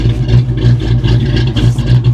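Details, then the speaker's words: 1993 Ford Mustang GT convertible, auction car, started after sitting about a week. Deep idle swells and dips about three times a second, a lumpy, loping, slightly rough run. The owner suspects an aftermarket cam; cause not confirmed. "this thing sounds like it might have a cam in it that usually means it's running poorly"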